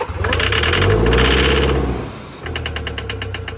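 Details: 2019 Toyota Hilux diesel that won't start and gives black smoke: loud churning, then steady starter cranking about three beats a second that never catches; no fuel delivery seen, traced to a sensor connector contact fault.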